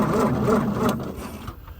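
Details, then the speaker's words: 1961 Plymouth Valiant 225 slant six, sitting 30+ years, cranking on the starter before first start to judge compression: evenly spaced, equal-strength compression pulses with no skipped beat, so compression is fairly even across all cylinders. "So we can listen to it turn over and you can hear it. If it turns over evenly, then the compression's fairly even across all the cylinders."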